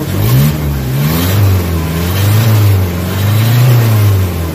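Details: Nissan Vanette with 5W40 oil, after XADO engine treatment to fix throttle delay and low power: revs rise and fall smoothly and pick up promptly with no hesitation, strong from 1,500–1,800 rpm; the earlier vapor-like running is gone.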